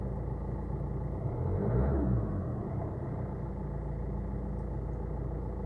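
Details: 2013 Renault Megane III 1.5 dCi while driving: steady diesel drone with faint constant whine over the engine; strange noises when releasing the throttle and at steady 1900–2000 rpm, cause unclear.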